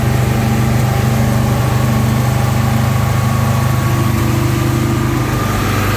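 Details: 1971 Alfa Romeo 1750 GTV, manual, just started cold: a steady fast idle with an even low drone and a faint drifting tone. The idle is high from the cold engine and is dropping; it may need adjusting.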